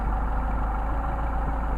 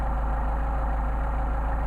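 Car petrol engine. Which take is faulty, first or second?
second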